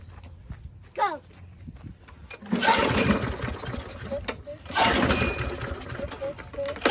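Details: Free walk-behind lawnmower, seized throttle cable removed and fresh gas added: one rising pull-cord rasp, then small engine catches and keeps running with a rough, surging drone; it starts and runs.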